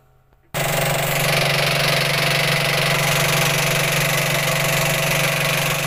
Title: Commercial speed queen washer making banging noise when spinning/machine pulley problem detected